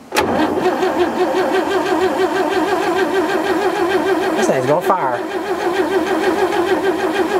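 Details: 1940s barn-find Chevrolet truck with a gas straight-six and a manual fuel pump, first start attempt: a steady, rhythmic starter churn that never catches; it cranks but won't start.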